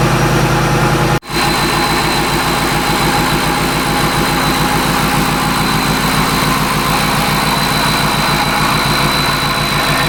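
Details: Shelby Mustang GT500 (13-14) supercharged, after intercooler pump replacement and supercharger oil change fixed no boost; strong steady note, even firing, no knocks, misses or whine, running clean.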